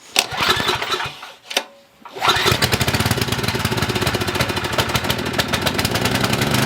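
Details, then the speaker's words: Coleman Maxa 5000 ER generator with old fuel, on choke: two pulls and a pause, then it catches and putters fast and steady; it fires, but junk in the fuel is suspected, tank to be drained and refilled with non-ethanol fuel. "all right so we know that it fires over um more than likely it's just got a bunch of junk in there and the fuel is going to be an issue"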